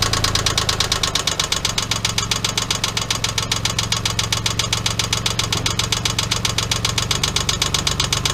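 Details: 1997 Geo Metro 1.0L at idle: sharp metallic knocks about four per second hammering steadily; spun rod bearing caused by an oil leak.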